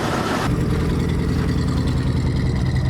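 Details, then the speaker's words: 1983 Ford E350 / 1982 Econoline RV engine idling: rough uneven low rumble with loping beat, exhaust visibly coming through the coolant system and white smoke, mostly coolant; blown head gasket. "You can see the exhaust is actually coming through the coolant system."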